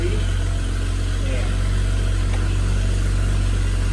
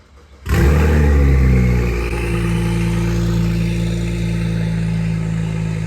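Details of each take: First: BMW 535xi E61 wagon with RB Stage 1 turbos, downpipes, inlets and front-mount charge pipe, after replacing the exhaust gaskets for the third time: a steady, quiet idle drone with no puffing or ticking, downpipes slightly louder. Normal exhaust note. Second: BMW 535xi E61 wagon petrol engine starting and revving with a loud, raw, deep rumble from an open exhaust, disconnected at the downpipe with the gaskets removed, during a third exhaust gasket leak repair.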